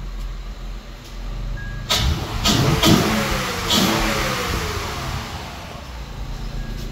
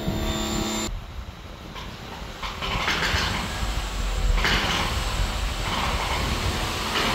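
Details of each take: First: 2006 Acura TL engine revving after a stripped spark plug fix, with water pump, timing belt and tensioner already replaced: it blips up and settles cleanly, no ticking under throttle, revs smooth and healthy. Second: 2006 Acura TL petrol engine, idle fine with a slight misfire: light tick like a knock when revved, which the owner suspected was the tensioner.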